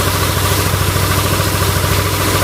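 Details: Yamaha Aerox scooter after replacing bearings. Steady, even, smooth idle with no tapping or knocking: normal idle.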